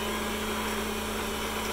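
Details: PM-728VT mill spindle, being converted to CNC with Centroid Acorn, running at high speed near 4300 rpm (about five volts on the speed control): smooth, even motor hum with a steady high tone, no knocks or rubbing; spindle healthy.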